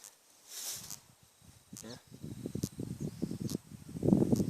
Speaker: spark in there. So that right now is 20,000 volts my friends.